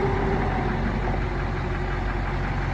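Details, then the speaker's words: Fire truck with Caterpillar 3208 turbo diesel, 12-volt system, sitting almost a year: steady low diesel rumble at idle, even with no knocks or misses; healthy idle. "Fire right up though, it's been sitting for almost a year."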